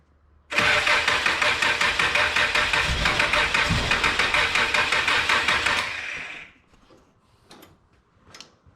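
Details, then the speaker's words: Old car that sat almost 12 years, after a fuel tank replacement and fuel line fix: cranks evenly at about three beats a second for some five seconds, then fires up, running on old fuel that is clearing out. "all right check the little fired up now there you go it's bad fuel cleaning out"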